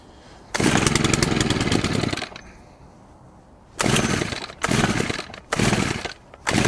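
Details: Stihl FS100 4-Mix brushcutter after service (new fuel filter, air filter, plug, valve clearances, throttle cable adjusted) on fresh 50:1 fuel: starts, holds a steady high buzz and takes quick blips cleanly with no stumbling; normal running, drive gear sounds dry.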